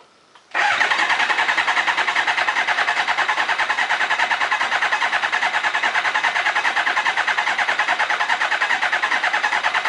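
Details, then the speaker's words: Kawasaki ZZR 600 replacement engine from a parts bike, rebuilt, cranked with ignition coils disconnected to build oil pressure; steady, even starter cranking at a quick regular beat, no firing, no grinding or slipping. "I want to disable the ignition and crank it to get, you know, the oil pressure."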